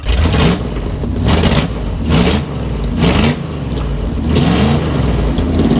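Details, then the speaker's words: Dodge Adventurer 4x4 that sat unrun for 10 years, first start fed by gravity: engine runs on its own, about five throttle blips with revs rising and falling back cleanly to a rough but steady idle. "Let's get her off life support here. Nice. I knew it would run."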